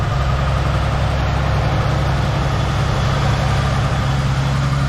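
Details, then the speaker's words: 1976 Chevrolet Nova started with a booster pack after repeated dead batteries: deep, steady, even idle with a smooth low pulse and no misses, knocks or ticks. Runs well; charging confirmed, so the battery is thought to be the issue. "if anything this car runs so good now"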